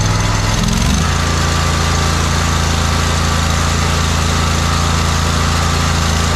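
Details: John Deere 317 lawn tractor with Kohler Command 18 hp engine, after fitting a new fuel pump; quick pickup then smooth constant low drone, no skips, knocks or hunting; no leaking, runs pretty decent.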